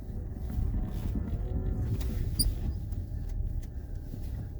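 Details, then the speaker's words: EV-swapped Geo Metro, 44 hp electric motor with manual gearbox, reversing from a stop without clutch: only a soft low rumble from tyres and body, no engine idling; quiet normal electric drive. "but the part that blows everyone's mind is there's no engine idling spinning so I don't need to clutch to start from a stop like the motor only spins when I hit the gas"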